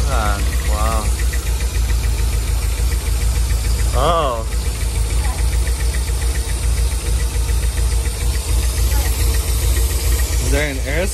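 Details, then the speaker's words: 1991 Nissan 240SX running, engine shaking on poor mounts: uneven lumpy idle with irregular stumble about three pulses a second; misfire, suspected vacuum leak or plugs, wires, cap and rotor. "did you hear that that's misfiring this was firing like crazy man"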